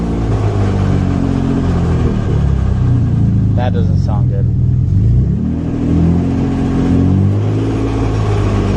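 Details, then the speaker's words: Acura 3G TL Type S rebuilt engine, reassembled, revved briefly without alternator: revs rise and fall with a harsh rattling burst tracking throttle; owner suspects a bottom-end issue, not confirmed. "yeah we might have a bottom end issue too sucks but it is what it is"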